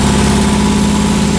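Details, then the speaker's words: Nissan 300ZX running after alternator replacement, excess wiring removed and coolant leaks fixed: steady even idle hum, no misses or knocks; owner earlier wondered about a misfire but says it isn't smoking and sounds healthy, though a leak remains somewhere. "yeah it's not smoking it just still sounds healthy"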